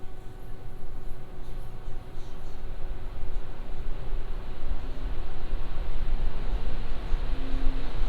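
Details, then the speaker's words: Lian Li Galahad II Lite AIO with ARGB fans, mic about 1 foot from radiator, Cinebench load: steady even air rush with faint hum, no ticking, rattling or grinding; healthy fan noise. "Now I'm just going to run the Cinebench, and this is how it sounds like when it's at load."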